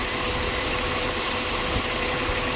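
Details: 2007 Ford Explorer XLT idling after its noisy belt tensioner bearing was sprayed with WD-40 and rotated. Steady idle under hiss, no squeal or chirp; the tensioner now sounds quiet, but the noise may return.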